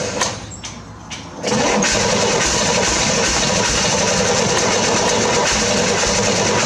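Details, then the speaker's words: 1968 Corvair being revived with fuel hooked up and battery reinstalled: starter cranks at about four beats a second with brief catches and an earlier backfire but won't keep running. It sparks; cause not confirmed. "But at least I know that it sparks. It actually starts whenever you want it to. We just can't get it to quite run yet."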